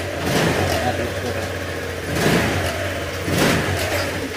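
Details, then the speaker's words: Honda Click125 after engine overhaul for a loud "big bike" noise, radiator and airbox refitted: engine blipped up and down a few times, revs rising and falling cleanly, no knocking or rattle; quiet and healthy, though throttle cable feels stiff. "Tahimik na. Hindi na siya di-turbo. Kaso tigas ng ano mo, kable."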